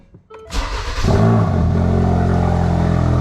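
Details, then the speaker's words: Ford Focus RS/ST, first start after installing a Radium high-flow fuel filter, pump primed and checked dry for leaks: starter whirrs briefly, engine catches cleanly and settles into a steady, even idle with no stumble; healthy normal start. "Start it up, no problem. Looks like we have successionado."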